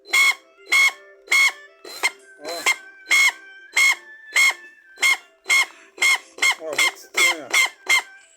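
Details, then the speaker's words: 20 V lithium-battery cordless drill/driver running in short trigger bursts: sharp high squeal and rattle; owner suspects gears lacking lubrication, unconfirmed. "Essa parafusadeira aqui, ela tá com barulho muito estranho,"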